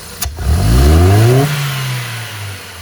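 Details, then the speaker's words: Ford Fiesta Zetec Rocam after repair for power loss and popping: quick hard blip test climbs smoothly and falls back to idle with no pops or stumbles; revs round and clean, healthy. "a diferença você perceber mesmo a saúde do motor você percebe o giro subindo a rotação subindo né é redondinho"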